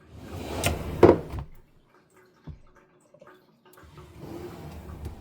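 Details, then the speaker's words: Pride sliding door closing: sliding rush ends in one sharp bang as the closer arm returns too fast and hits the wall; the other side's arm stays with the mechanism and works properly. "When I close the door, the arm, which is this thing right here, whatever that's called, goes back too fast and it bangs into the wall."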